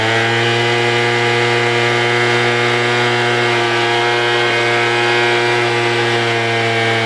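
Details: Craftsman two-stroke blower, choke on, first start: steady high buzz but won't hold idle and keeps dying; low-speed mixture screw needs adjusting.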